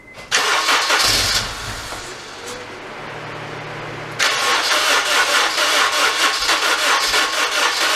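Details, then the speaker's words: 2002 Honda Civic Si EP3, K20A3, codes P0341, P0300–P0304: long crank, catches, runs weak and uneven, won't idle, misfires under throttle; owner suspects stretched timing chain let cam timing jump, no rattle so no bent valves suspected. "so there you can definitely see it's not starting up right definitely not idling even when i put my foot on the gas it's misfiring quite a bit so the timing is definitely off"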